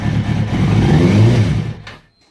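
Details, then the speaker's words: Kawasaki Ninja ZX-636 after rebuild, fuel injection reinstalled, plugs unchanged, low idle: engine picks up briefly when throttle is snapped open, then sags and dies within two seconds; stalls on quick throttle, cause unknown (owner wonders about plugs). "and it kind of does that when you give it too much gas it shuts off don't know why"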